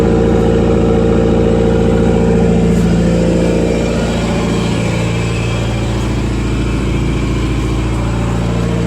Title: Yes, it's got rod knock